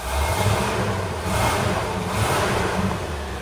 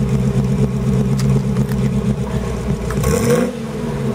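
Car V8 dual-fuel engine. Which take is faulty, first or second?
first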